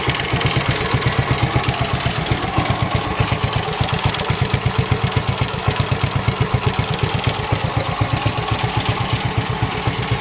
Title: Engine knocking Noise